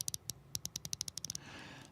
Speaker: Now, with ratchets, I want to just give you a quick lesson. You hear this? Hear that fine clicking? Hear that?